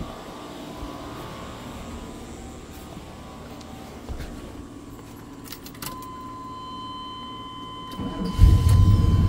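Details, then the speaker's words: Vehicle jump-started with a FEATOU jump starter after a first try failed for lack of charge: several quiet seconds, then a brief crank that catches into a solid running rumble; engine starts fine. "beautiful she's on so I tried it once now I let it rest for a little bit and tried it again"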